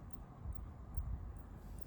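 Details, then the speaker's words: Spigen PE2302IN 65W GaN charger plugged into a working socket: faint sharp clicks about twice a second over a quiet hum, clicking stops when unplugged; faulty charger delivers no charge. "And I believe you can start hearing the clicking noise. And as I unplug it, the clicking noise will stop."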